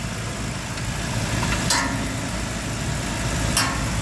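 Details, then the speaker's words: 2010 Subaru Outback 3.6L in drive, wheels turning, checking driveshaft center support bearing (rear wheel bearings noisy, right rear worse): steady drivetrain hum, no growl or clicking; center support bearing quiet, normal. "now I'm checking the the center support bearing it's quiet"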